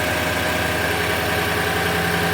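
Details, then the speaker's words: Toyota 5.7L V8 (Tundra/Sequoia/Land Cruiser 200) after starter replacement with the top starter bolt left off, heard inside, outside and underneath: steady, even idle hum with no buzz or rattle; normal idle. "okay from interior nothing at all that sounds totally normal the outside here totally normal and I don't hear anything at all down here"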